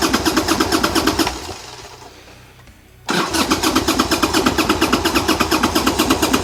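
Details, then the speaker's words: 1990 Harley-Davidson Sportster 1200 after 10 years stored, old gas drained, new plugs: rhythmic cranking about two beats a second, pause, cranking again, no sustained run; owner suspects lack of fuel, petcocks opened. "yeah it definitely sounds like lack of fuel because like it starts and then nothing"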